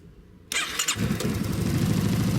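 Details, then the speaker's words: Scooter with Malossi Forcemaster injection/ignition controller fitted, high trimmer set to 0: short starter whir, then the small engine catches at once and settles into a steady, even idle; starts normally. "sounds good, doesn't it? Forcemaster."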